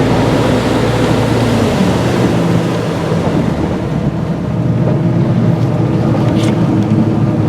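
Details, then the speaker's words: Mercruiser 4.5 L 250 hp V6 on a Chaparral boat, on the water, holds a steady drone under load above 4,000 rpm and at wide open, no stumbles or dropouts, after replacing a bad ignition coil that had set a code. "Well, I think that's a fix. That's about 5 miles of I didn't run them all at 50 mph wide open, but I did run um about four or five miles above 4,000 RPM and some of it at max"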